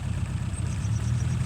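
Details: 1936 Rover 12 tourer petrol engine, first start in March after a winter layup since November: deep, soft, even burble at slow steady warm idle, no knocks or misses; oil pressure sits at its usual 30. Normal warm idle.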